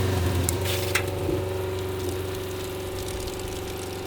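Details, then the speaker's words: Water pump on a DOT WUHT camper trailer, switched to suck from an external source through a 30-metre hose: steady motor hum with a fast, even pulse of about four per second; drawing water and running normally. "Right, so now we're sucking from, that's a 30-metre hose as well."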